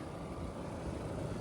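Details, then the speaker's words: Central air conditioning system on Long Island in summer heat, after replacing a failed capacitor instead of a quoted full system replacement: steady even fan and compressor hum, no buzzing, stalling or cycling; system running normally. "They wanted $145,000 for a new capacitor. System's running, bro. That's the problem. That's what we diagnosed."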